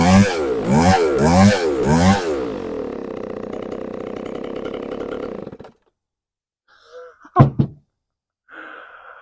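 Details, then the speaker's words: McCulloch Pro Mac 605 chainsaw just fitted with a new carburetor after ongoing trouble; three sharp throttle blips, then a steady, even two-stroke idle that keeps running until it is switched off. Normal running. "but it runs it it stayed running until I shut it off"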